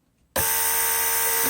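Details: Mercedes W140 central locking pump on bench test, operating the remote trunk release circuit (trunk unlocks then pops); sudden start into steady mid-pitched hum with brief blip near end — normal pump operation.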